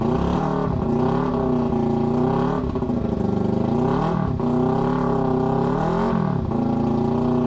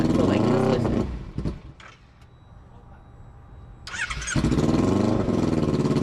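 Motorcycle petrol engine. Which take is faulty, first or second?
second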